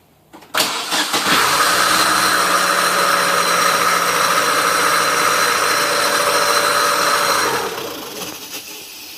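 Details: Chevrolet Aveo with the belt on, another start attempt: about seven seconds of steady starter cranking with an even whirr, and the engine never catches; cranks but won't start.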